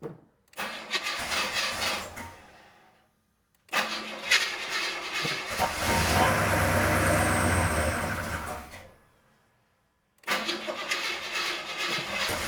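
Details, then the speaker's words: Car just restored to roadworthy, start with light throttle blip while checking timing and valve lash: brief thin squeal as revs rise; accessory belts slipping, need tightening. "belts need to be tightened a little bit."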